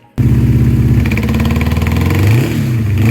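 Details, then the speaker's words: 1984 Honda CB700SC Nighthawk, running rough on choke after another shop's top-end and carb rebuild: uneven lumpy beat stumbling as revs rise and fall; number four cylinder barely has compression and its carb overflows badly. "I did a compression test on it uh number four cylinder barely had any compression uh number four carb was overflowing like crazy"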